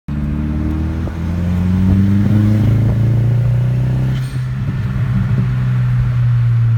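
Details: VW 1.8T on K03s, manual boost controller, N249/N75 deleted: pulls hard but rough, stuttering as boost passes 10–12 psi, flashing check-engine light, multiple misfire codes despite new vacuum lines, injectors, fuel filter and pump; misfire under boost.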